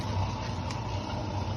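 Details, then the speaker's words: Mabe Aqua washing machine drain pump: steady low hum with faint fixed tone, no water moving, not draining; broken impeller, pump to be replaced. "ya ese ruido que hace es porque ya no solamente se escucha el ruido pero ya no está ya no está aventando el agua no está desaguando como se debe ya no tiene ya no funciona la bomba bien"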